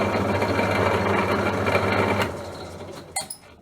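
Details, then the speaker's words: Sherwood 12-speed bench drill press, 0.55 kW (3/4 hp) motor: rough rhythmic grumble about three or four beats a second, fading as it spins down; motor grumbling, cause not yet confirmed. "with the belts removed the motor by itself still makes that same same gurgling noise"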